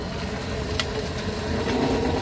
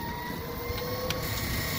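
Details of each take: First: 1998 Club Car DS golf cart: steady mid-pitched whine over motor hum, loudest coasting at no load, quieter accelerating or decelerating; rear transaxle noise. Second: 1998 Club Car DS golf cart on final test ride after silicone on the transaxle splines and heavy-duty oil stabilizer in the differential: smooth, steady motor hum with faint tyre noise, no clunks or gear rattle; formerly noisy rear end now quiet.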